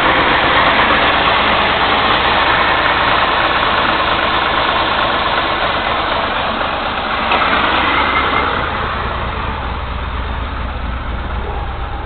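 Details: 1989 Chrysler New Yorker Landau 3.0L V6, high mileage, consuming oil, hard starting; idle with steady lopey, uneven pulse, cylinder 6 plug wire pulled to trace smoke from around that cylinder, so one cylinder dead.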